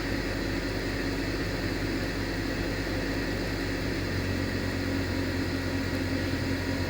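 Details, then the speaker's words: BMW with new front O2 sensors (bank 1 and bank 2 sensor 1), cold start idle: steady electric hum of the secondary air injection pump running normally as the sensors react to air in the exhaust; the old O2 sensors were too slow. "So I can hear the air injection pump. It's running, and now the sensors start moving."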